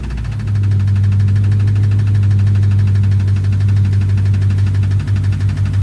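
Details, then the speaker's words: 2006 Chrysler 300 5.7 Hemi, bought cheap, just after first start: loud steady drone with a fast, even tick at engine speed; owner suspects lifters or rockers, cause not confirmed. "As y'all heard in the last clip, she is making a pretty hefty noise."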